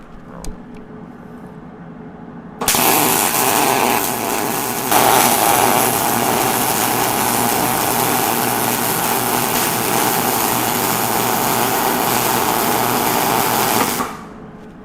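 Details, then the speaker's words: Used early-2000s Hobart Handler 175 230V MIG welder, revived after sitting unused: about eleven seconds of steady frying-bacon crackle with no pops or stutters. This is a healthy short-circuit weld and wire feed, though the welder needs new consumables. "Well, I don't know about you, but that sounds like a beautiful sizzle and shortcircuit weld to me. And I think there's not a whole lot wrong with this welder."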